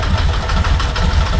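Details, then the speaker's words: 1998 Moto Guzzi California V-twin ticking over after an oil and filter change and sump gasket replacement, fuel system cleaned but not the tank, not run in a long time. Even, lumpy low thump, steady pulses, no knock or stumble. Normal idle. "So let's give it a go and just let it idle for a bit and get some of that fresh oil through."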